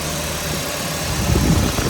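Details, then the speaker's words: 2005 Honda Civic Hybrid, after swapping in a pair of 2001 Civic cooling fans for failed originals, A/C on at idle: even rushing fan whoosh over steady idle, no rattle or scrape; fans blowing the correct direction. "So now I'm going to fire it up, turn on the air, see if I get some fans. Yes, sir, we got fans. Blowing in the correct direction."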